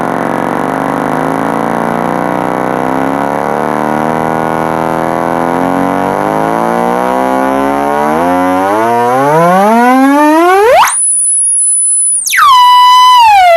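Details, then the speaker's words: Kenwood 745 old-school amp on a bench test, pulse input on and brought all the way up: a buzzy tone climbs steadily in pitch and loudness to a loud clean squeal with no crackle or dropout, so this channel is working normally. "So, that tells me we're good on that side."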